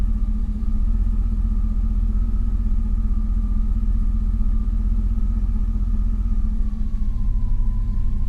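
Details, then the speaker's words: 2000 Chevrolet Silverado, 19 years old, after starter replacement and ECU reset by battery disconnect: steady low idle with foot off gas sagging almost to stall; still relearning idle, expected to settle. "she runs good comes back down almost stalls because it still doesn't quite know where it's got to be yet but it'll figure it out"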